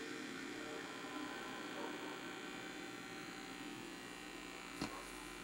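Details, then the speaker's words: Rusted original Sony PS2 before restoration, connected to a TV. A steady electrical buzz in the TV speakers, broken by one sharp click, with faint horizontal lines on screen and the boot sound heard through the hum. Electrical hum, cause not confirmed. "Il semplice collegamento provoca un ronzio negli altoparlanti della TV. Quando lo accendo, il ronzio sembra meno intenso e anche se non puoi vederlo sulla fotocamera, ci sono piccole linee che attraversano lo schermo orizzontalmente."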